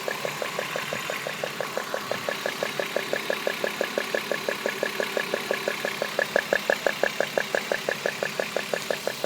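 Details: BMW E36 323i M52 idling with a sharp, steady tick about three times a second that owner thinks comes from the coil pack(s); the noise started suddenly today and its cause is unknown.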